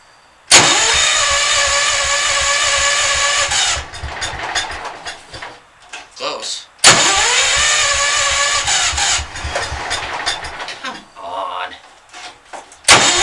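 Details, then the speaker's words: Cold engine in a closed shed: the starter churns about three seconds, stops, then cranks again without firing. Owner says timing and valves are set right and it starts fine warm or in warm weather; cause unknown. Hard cold starting, long cranking. "it's fine when it's warm or warm out oh that starts loud when you're a nice and closed shed you got the starter it's like trying to start a traction engine or something come on"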